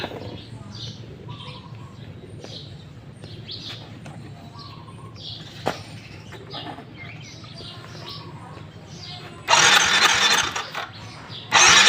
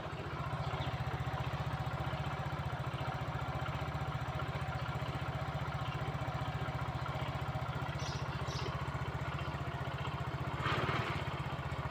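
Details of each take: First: Yamaha Fino 115i scooter that died while riding and won't start: two short bursts of starter cranking that never catch; very low compression, suspected leaking valve needing cylinder head removal. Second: Fino 115i scooter that would not start due to low compression from leaking valves, after the valves were lapped and the head reassembled: a steady, even single-cylinder putter at idle with no misses or knocks. It now idles normally.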